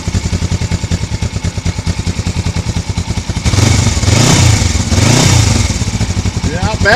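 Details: 1982 Suzuki GS450T twin, 8,362 miles, cold start after sitting all winter: crisp regular idle putter, then clean blips up and back down; healthy.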